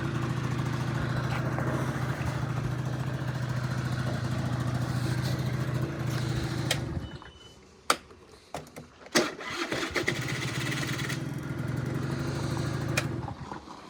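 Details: Honda Dio 34 two-stroke scooter after a budget repair for rattling and knocking under throttle (needle bearing, fuel filter, exhaust gasket replaced): fairly even, steady idle with a brief dip midway, no rattle or knock standing out; normal idle.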